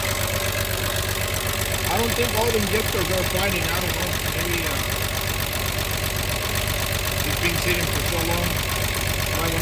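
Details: VW Jetta Mk3 VR6 12V just started after engine swap, sat a long time, smoking from WD40 and old oil in exhaust: light fast ticking about four per second over uneven idle; valvetrain tick, likely lifters.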